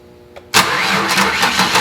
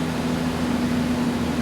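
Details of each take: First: 2002 Ford Ranger that won't start, starter bridged via the excite wire: starter spins the engine at a steady rhythm in two long tries but it never catches; motor turns over, suspect immobilizer. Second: 2002 Ford Ranger, taken in for a transmission rebuild (won't go into reverse), finally started after no-start diagnosis: steady even low hum with no knocks, misses or surges; smooth healthy normal idle.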